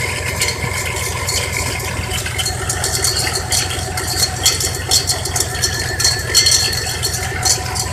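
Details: 1990 Cadillac DeVille V8 rough idle with low uneven pulsing and rattly clatter; misfires, bogs with no power on throttle; new cap, rotor, plugs, wires, battery, starter already fitted; owner suspects bad alternator, unconfirmed.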